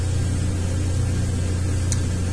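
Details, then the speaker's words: 2003 Ford Windstar 3.8 running rough, plugs changed earlier, during cylinder contribution test: low steady drone with slightly lumpy idle beat; cylinder six not contributing, misfire traced to a faulty ignition coil pack. "definitely number six is not contributing"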